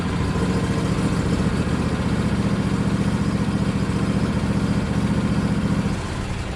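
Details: John Deere LA135 Special Edition lawn tractor, spring maintenance, run-up test with blade engaged after checking deck spindle bearing: steady, even engine beat about four pulses a second, no knocks or misses; passes test, normal running.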